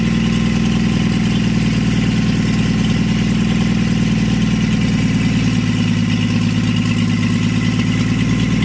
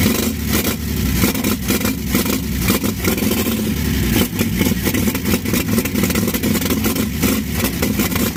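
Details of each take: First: 1952 Chevy engine, weeks after freeing seized rings and carburetor, started with a splash of fuel since the accelerator pump isn't working; run briefly with no coolant in the block or radiator; loud, even idle with a steady throb, no misses or rattles. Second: 1952 Chevy engine at first start, with fresh Autolite plugs and a loose throttle; it runs rough and lumpy with wandering revs and loose top clatter. Owner says the carburetor needs work and saw vapor leaking at the original fuel line outlet.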